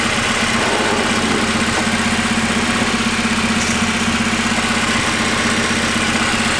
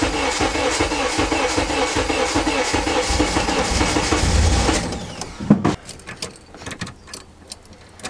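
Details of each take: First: Right-hand-drive Honda Integra with no idle air control valve: steady, even idle with a smooth low pulse and no misses, knocks or hunting; normal idle. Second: RHD Honda Integra, sat a month with a dead battery and kill switch: a forgotten unplugged fuel pump plug is refitted, then a long unbroken crank for about five seconds never catches and cuts off; no start yet.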